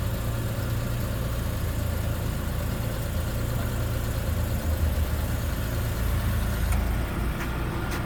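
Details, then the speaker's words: 1990 Citroen XM, 108,000 km, cold engine idling while car is raised: steady low hum of the suspension hydraulic pump under idle, cycling in and out a few times as the car rises, then quitting; normal pump operation. "This pump, when the car is cold, you can hear the pump engaging, and then as the car goes up, it kind of goes in and out a few times. And then it quits."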